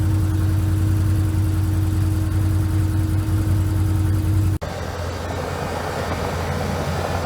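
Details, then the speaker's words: 2014 Can-Am Commander 800 after replacing OEM cooling fan motor with aftermarket Hayden 3680 and bleeding coolant, no leaks: steady low hum with even fan drone, no rattles, normal cooling fan operation. "got everything buttoned up no leaks it's all good you guys want to hear the fan"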